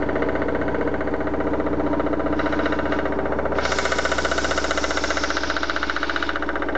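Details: BMW 316i with M43 engine idling: an even, steady knock of about three beats a second over a smooth idle; the source is still unknown and the owner wants to identify it before opening the engine.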